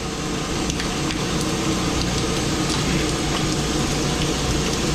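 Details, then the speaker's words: Water park pool pump restarted after an extended shutdown: steady rushing, gurgling water gravity-fills the pump basket from a full tank, pushing out trapped air that probably built up over time; the cause is suspected. "Because most likely what happened is over time, a little bit of air built up into here."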